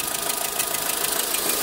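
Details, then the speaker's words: VW Saveiro petrol engine lacking power on pull-away, no misfires counted, at warm idle: a rapid, even puffing tick over a thin hissy run, sounding like an exhaust or air leak. "ahorita que ya calentó un poco más se escucha como si hubiera una fuga como de aire como una fuga de escape aquí como a esta dirección"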